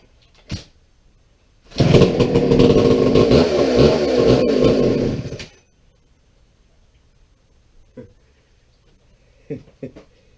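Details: McCulloch 797 123cc chainsaw, sat unfired for years, issues sorted; fires and runs about four seconds at a loose, slightly uneven idle before dropping off; normal idle.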